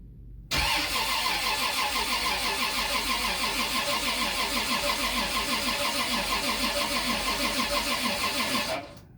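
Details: Turbocharged Lexus IS300 2JZ-GE build on its first crank ever, transmission only partly filled: even starter cranking about three turns a second for eight seconds and the engine never catches; cranks but won't start, and a failed line was then found.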